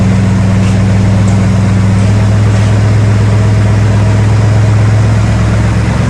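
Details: Truck V8 after a cheap engine refresh for a tapping noise, with aluminum chunks found in the oil pan: deep steady rumble with an even beat and no tap or tick heard; the valvetrain sounds quiet and healthy.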